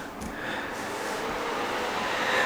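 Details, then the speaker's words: Open-air 5700 GPU mining rig's 1600 W mining-case power supply right after power-on: loud steady rushing hiss with a faint high whine building; supply works well but its fan is too loud. "and yeah we got another loud one okay so this is another uh 1600 watt mining cave power supply exact same uh it's a great power supply but it is loud and I am not looking for loud"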